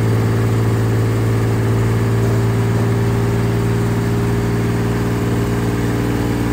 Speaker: dang listen to her purr I think we're in a much better place